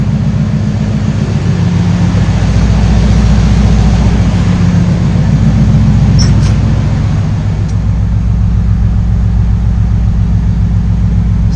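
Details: 1968 GMC V8 idling after oil cooler install and welding header tubes together; deep steady even burble, no misses, knocks or ticks; good oil pressure; healthy idle.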